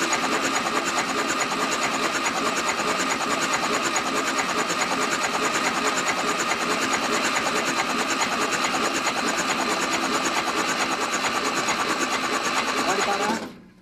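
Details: First start of a freshly built 2054 engine, cold, thin oil: fast, even starter churning without firing, steady throughout, cranking to prime oil pressure, which reached over 60 psi; normal cranking.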